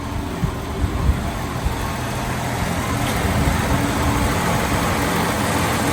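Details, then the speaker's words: 1965 Ford Mustang, six-cylinder (thought to be a 200), first drive after 10+ years garage-parked: even, steady low idle with no misses or knocks; burns a little oil and smokes slightly, accelerator pump comes in late and stumbles; normal idle. "Sounds good. Smokes a little, but it sounds good."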